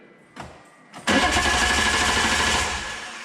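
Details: 1997 BMW M3 with EWS bypassed, starter proven good: a click, then the engine turns over steadily about two and a half seconds without catching; cranks but won't start, crank sensor or EWS suspected, unconfirmed.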